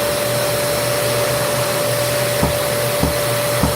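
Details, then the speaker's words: Vacuum with poor suction, steady motor roar with a soft thump about every half second from a spring-loaded valve mechanism snapping shut; suction blockage likely. "So that's the sound of it thumping. And I guess that's the mechanism they put together. But it's always spring-loaded."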